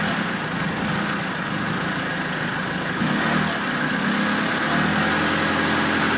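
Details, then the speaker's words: Diesel after fuel filter change, warm, restarted after air purged from fuel system with initial misfires: steady even diesel clatter at idle without stumbles; runs cleanly now, no leaks. "Ouais, donc voilà. Donc là de ce côté là c'est bon, ça démarre, il n'y a plus de problème."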